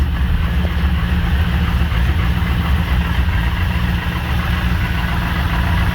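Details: Newly built car with torque converter disconnected from the flex plate to trace a noise: smooth, steady idle with even beat, only slight flex-plate chatter; noise gone, so it comes from the transmission.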